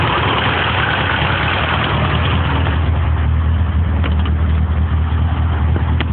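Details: 1978 Porsche 924 petrol engine idling after a rebuild: light, fast ticking over low rumble from very loose tappets, with adjusters at their limit because the valve stem tips were not ground during the valve job.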